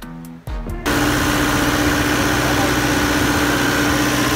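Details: Condominium standby generator that would not start because of a fault in its automatic transfer switch (QTA) control system while the engine itself was fine. After a short start it settles into a steady even drone with a constant tone and no knocking; running healthy.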